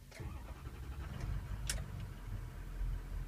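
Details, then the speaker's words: Ford 6.0 diesel: faulty ICP sensor reads over one volt, falsely indicating 800 psi, so it dumps injection oil pressure; a low, labored rumble catches and firms into a rough idle, a hard start caused by the bad ICP sensor. "this one's an ICP and also see it's now it's a no start because it thinks it has pressure so it's dumping"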